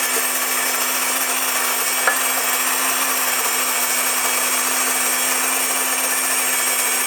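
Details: Wondermill electric grain mill on its first flour milling: loud, steady jet-like whine with a constant low tone and no high-pitched squeal, which would signal an empty hopper. Normal grinding operation.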